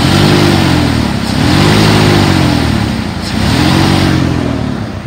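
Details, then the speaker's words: 2002 Dodge Ram 2500 utility truck, 5.9 L V8 gas, automatic, about 99,135 miles, warmed up after nearly an hour of running, AC compressor engaging; it revs up smoothly twice and returns to a smooth idle with no knock, miss or rattle; normal revving. "revs up nice and idle smooth I'm going to turn off the AC so that compressor stops engaging"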